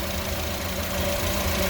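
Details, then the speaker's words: 2004-08 Acura TSX after power steering pump O-ring replacement, idling after about five minutes: smooth steady idle with low hum, previous pump whine gone; normal idle. "we've let this uh run for a good five minutes and let these seal a little bit and as you hear it is not making the noise any longer"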